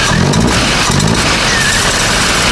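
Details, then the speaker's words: VW Golf 7 GTI turbo petrol engine after rebuild: even idle with steady firing, no misfire, and a couple of brief light revs slow to climb because intake pipes are off and there's no turbo boost. "Okay. So, if you don't have a misfire, don't get a misfire. Yeah. Very smooth."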